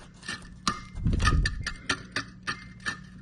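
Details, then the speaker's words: Samsung RS263TDRS refrigerator: sharp uneven clicks over a faint hum as the evaporator fan blades strike ice built up on the back, stopping cool air circulation; fix by swapping or thawing the fan. "you can hear that clicking. That's what circulates all the cool air in your refrigerator, and when all of this starts to fill up with ice and builds up on the back side, you get that issue."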